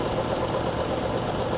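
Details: High-mileage Hyundai Genesis at 243,000 miles idling at salvage yard with slightly lumpy, uneven pulse of a cylinder misfire; flashing check engine light.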